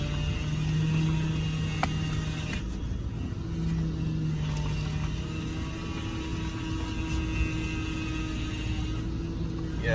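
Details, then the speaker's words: 2007 Honda Civic sedan whose power steering whine returned after a temporary fluid refill. A thin, steady whine over the engine rumble swells as the wheel is turned left and right; the owner says the power steering pump is bad and needs replacing. "so as you can hear the power steering pump is bad and you can tell by hearing a whining sound hear that whining sound that means you have a bad power steering pump you need to replace it"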